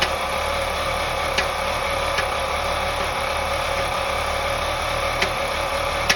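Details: 2001 BMW 525i E39 M54 at idle: a few sharp, irregular ticks about one a second over a steady idle, intermittent knock; owner suspects loose spark plugs causing misfire.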